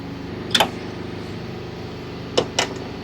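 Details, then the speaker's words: VW engine leak-down test at 100 PSI showing 40% leakage: steady soft air hiss with handling clicks, air escaping past worn piston rings into the crankcase. "you can hear the hissing this pressure is going some where so the hissing will either come through the Rings and you'll hear that in the case"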